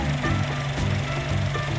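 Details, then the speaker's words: Used 2014 Honda Mobilio E Prestige CVT, engine check; steady low hum with even beat, no knocks, rattles or strange noises; normal idle. "dari segi mesin-mesin juga suaranya normal ya Hai mungkin enggak ada suara-suara aneh gitu"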